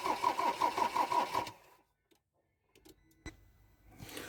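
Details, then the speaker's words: Ford Transit Mk7 diesel after glow plug replacement: starter spins evenly, about three turns a second, for a second and a half without catching, because the camshaft sensor plug wasn't pushed fully home. Crank no start, cam sensor unplugged. "as you can see, it doesn't want to fire, which the reason is the camshaft plug wasn't pushed in far enough"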